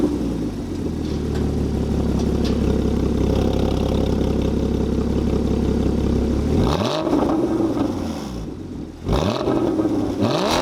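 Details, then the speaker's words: Porsche 981 Cayman GT4 start-up with its valved exhaust opened: the engine catches and settles into a smooth, even idle, then two crisp blips rise and fall, loud open exhaust; normal healthy start-up and revving. "So that was with the valves open. It's got a valved exhaust system."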